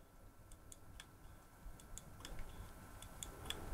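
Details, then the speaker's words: Hard drive number five after a drop from above head height onto outdoor concrete: faint, irregular sharp ticks three or four a second over quiet room hum, never spinning up; click of death, drive dead. "drive number five, which I dropped from above my head outside onto some concrete, and that died too."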